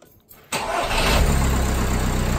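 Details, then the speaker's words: Audi A4 Cabriolet 2.0 TDI (BPW) after refitting the rocker cover and repairing the leaking injector rocker lead plugs: short crank, then a steady, even idle; the hydraulic lifter tapping has gone. "so now here it just sounds a lot more different tapping noise of hydrology lifter is actually gone"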